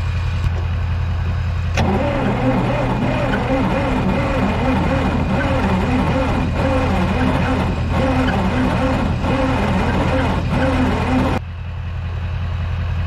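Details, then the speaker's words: Diesel tow-behind roller compactor sitting for years; steady starter drone with rhythmic compression pulses, slight popping as if firing on one or two cylinders, never catches; cranks but won't start, owner suspects throttle stuck at lowest position starving fuel. "i can hear it's popping a little bit like it is banging on one or two cylinders it's trying but i don't think it's getting enough fuel"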